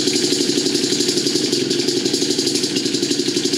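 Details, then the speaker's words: Suzuki LT80 single-cylinder after top-end rebuild (new piston, rings, cylinder after rod needle bearings failed), iridium BR8HIX plug, first start: quick, steady, crisp putter with no knocking or rattling; normal idle. "Okay, she fired right up. I think it's set. Sounds pretty good to me."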